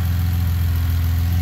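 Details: Car engine idling after being pulled, repaired and reinstalled, V-band joints checked with no air leaks: low, steady idle hum with an even beat and no knocks, ticks or stumbles; healthy idle.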